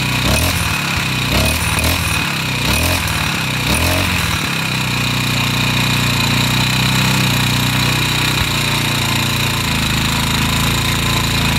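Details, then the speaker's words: Craftsman 4-stroke trimmer, Briggs & Stratton 34cc engine, after carb replacement, warmed up: a few choppy bursts settle into a steady high buzz with no sputter or bog; centrifugal clutch slightly turns head, idle may need lowering; runs well. "well this thing runs awesome now I just had to let it warm up"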